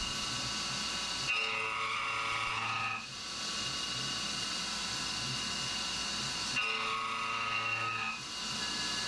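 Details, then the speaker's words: CNC roughing an AR15 high-rail gas block at 1900 rpm (spindle override at ten percent, down from 2125): steady high-pitched ringing squeal over the cutting noise, coming and going each pass; mild end mill chatter, 2125 rpm would chatter more. "ccidentally had the the spindle speed override already at ten percent but uh it's still a bit chattery so 2125 would certainly be more chattery"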